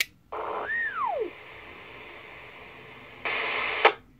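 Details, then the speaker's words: GMRS radio on 462.550 MHz keying the Joliet repeater (PL 114.8) while an illegal Chicago repeater shares the channel. Hiss bursts with a squeal that sweeps up then drops; the repeaters conflict and feed back. "the Chicago repeater does not like that too much so it fed back with that that tone it was pretty clear there but it was definitely a lot worse before but it'll feed back with a squeal found"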